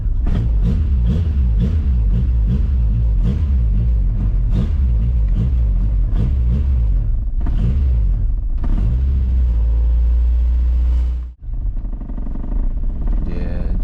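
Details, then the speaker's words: Honda Civic B20 VTEC after spark plug replacement: very low, lumpy idle around 500 rpm with uneven throbbing, then a sudden dropout; nearly stalling, owner suspects failed idle air control valve. "about dies she's about to die anytime now so I gotta definitely change the idle control valve yeah let's do that right now because that sounds so terrible to listen to"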